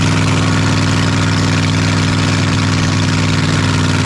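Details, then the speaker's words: 1982 Ford F-150 302 V8, manual, after carburetor, rusty gas tank and fuel pump work: lumpy, uneven idle with steady stumble; misfire, three plug wires found disconnected, running on five cylinders. "How did that even run? I had this disconnected, this one disconnected, this one disconnected. We were running on 5 cylinders."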